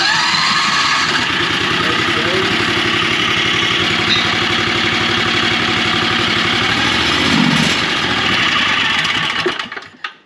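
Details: Golf cart with a new Harbor Freight Predator 670 engine swapped in, replacement clutch and changed spring: first start, fires up and settles into an even thumping idle around four beats a second, running normally before shutdown.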